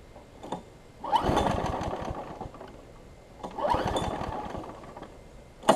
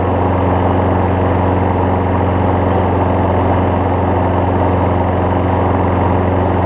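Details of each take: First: Craftsman 6 hp big-wheel front-drive self-propelled mower: catches in sputtering bursts about every two and a half seconds, then dies back, running really rich; owner suspects carburetor, spark plug or flywheel key. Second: Craftsman 6 hp self-propelled mower after a new spark plug, belt refitted, testing self-propel: a steady, even single-cylinder drone with no misses or knocks; the mower is running properly.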